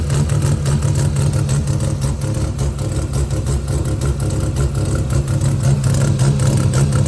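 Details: Mazda 12A bridgeport rotary with an idling issue: rough, uneven, lumpy idle stumbling about twice per second and skipping on and off. Owner unsure whether the cause is electrical or something else. Misfire at idle.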